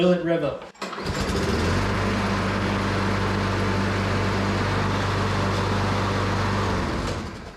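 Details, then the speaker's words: Flipped self-propelled lawn mower after reconnecting a spring: it starts almost on the first pull and settles into a steady, even, mid-pitched run with no misses until shut off, running normally. "I do like that it just started right up right almost first pool"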